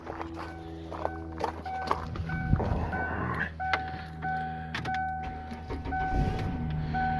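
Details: Vehicle with a flat battery (about 6.7 V, rising to 11 V) jump-started with a Noco Genius Boost Pro 4000A lithium jump starter: door chime pings over a low, steady engine hum as the engine catches and idles evenly; normal start and idle.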